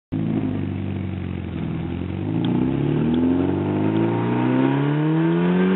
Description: Porsche 944 NA 1986 with an exhaust leak before the cat....I like the sound so I kept it.